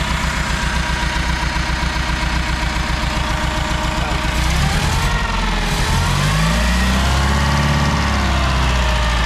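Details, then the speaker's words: 1922 Bentley 3 litre OHC inline four, four valves per cylinder, twin SU carburettors, dual magnetos, misfiring under load: lumpy uneven idle with a regular stumble, running on three cylinders; possibly a fouled plug, running rich. Misfire. "my thought just based on here it sounds like it's only run on three and i don't know if i just foul the plug because it seems like it's running pretty rich"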